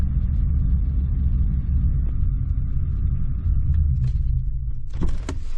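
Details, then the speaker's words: 2014 Ford F-150 with ongoing misfire, new intake tube just fitted, check engine light on: deep lumpy rumble that falters and dies after about five seconds, then clicks; runs rough and stalls almost immediately. "on nope almost immediately shuts off"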